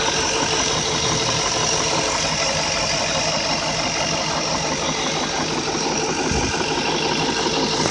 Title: E38 M62 VANOS "Engine Knock"